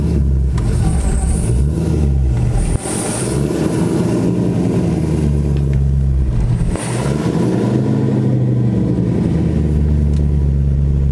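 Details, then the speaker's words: Chevrolet Corvette C6 V8, warm, after lifter replacement: a strong, smooth engine note rising and falling through several clean revs, with no lifter tick or knocking; runs healthy. "yeah yeah car's running good i think i'm gonna go ahead and conclude it on this note on a good note"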